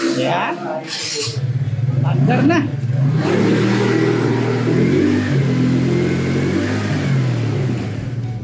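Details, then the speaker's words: TVS NTORQ scooter after troubleshooting repair. It idles and revs up and down evenly, with no odd whirring or rattle over the exhaust. The earlier robot-like noise is gone, so it runs normally. "Tsaka siya, hindi ganun Alam mo wala yung ingay na yung parang robot."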